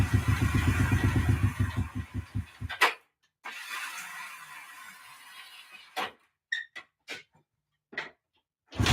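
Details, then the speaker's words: Honda CB360 that wouldn't start after winter storage, carbs refitted, air filters off: uneven pulsing run for about three seconds, then dies; needs heavy choke to keep running; owner suspects refitting filters may fix fuel flow. "okay it seems to want a good amount of choke to keep it going which if i put the air filters back on that might be all the resistance i need to get the fuel flowing correctly"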